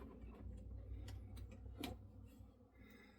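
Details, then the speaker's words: Vintage PC graphics card fan in a quiet room: soft, uneven ticks over a faint fan hum; worn fan bearings, card works but needs new bearings. "so I could take this apart Loop the bearings and use it but it's not really in line with um what I want to do with this so this is just going to go on the Shelf as a working GPU but it needs some bearings"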